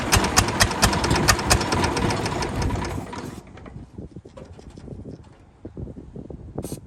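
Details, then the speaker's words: 1929 Ford Model A four-cylinder, abandoned 75+ years, with a stuck valve: uneven, lumpy beat about two per second with gaps and a sudden drop-off; running on one cylinder, which keeps falling off. "oh our one cylinder that's firing fell off that happens our one cylinder that firing fell off again it's got to quit doing that"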